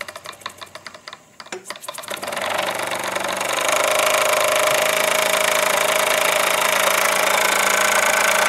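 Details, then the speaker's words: Model steam engine run on garage air compressor (set about 25 psi, partly used) instead of fire, on workbench: a few hesitant puffs, then quick even chuff about three per second with steady hiss; normal running. "No fire no flame no heat no electricity, just turning it off the compressor here I've got the coil going over to the compressor compressor set at about 25 psi but I'm only using a portion of that through here."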